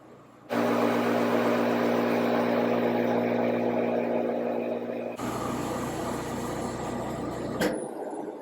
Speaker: Now the bulb will fire, and you'll hear basically like a buzzing sound.